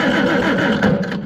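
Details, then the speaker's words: Farmall Super C tractor with points ignition and a no-start. Slow, steady cranking that never fires; the meter stays near a quarter volt, never reaching 6 V, so the points stay closed, with a worn rub block on the distributor cam. "that tells me it's probably staying closed so I'm gonna crank it again"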